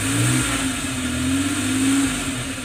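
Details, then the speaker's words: Second start test after the starter motor was repaired: the engine is already running and revs up smoothly, then eases back down evenly with no grinding or whirring, so the starter repair succeeded. "So yun guys, successful naman ang ginawa natin repair sa starter."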